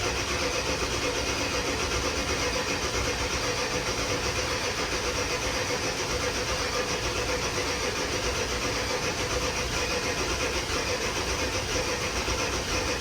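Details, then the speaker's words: Ford 7.3 diesel after HPOP reseal, fuel bowl delete and regulated return, battery charger on, air likely in oil system and fuel rails/head: long steady cranking that finally catches into an even idle; normal start after extended crank. "Now we're gonna crank a good bit because we opened the oil system doing the oil pressure, or the high pressure oil pump. And there's probably still some air in the rails and the head for the fuel."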